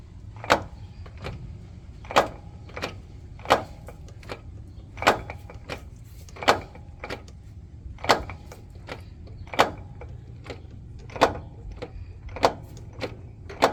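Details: Toyota Sienna with sharp, regular knocks about every three-quarters of a second over a low vehicle rumble; owner suspects the transmission, cause unknown.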